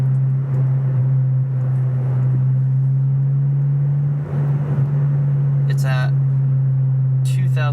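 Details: Cheap $170 aftermarket exhaust on a 9th-gen Honda Civic Si gives a heavy, steady low boom that fills the cabin at an even 2,000 rpm cruise; the owner plans to replace it with a better exhaust.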